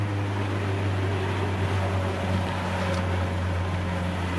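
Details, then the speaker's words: Nissan Gazelle S12 with large cannon muffler, cruising about 3,300 rpm in third gear: deep steady booming hum under the engine, droning below about 3,000 rpm; exhaust drone. "when it's lower than like 3000 rpm it's so droney it just sounds like really"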